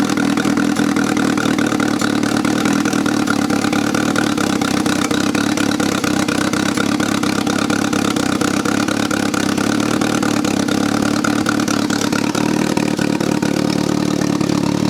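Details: 1995 BMW E36 318ti with turbo conversion, second start after first fire-up and oil check: steady, even idle with smooth firing beat and no misses or knocks; fires up and settles cleanly, normal idle.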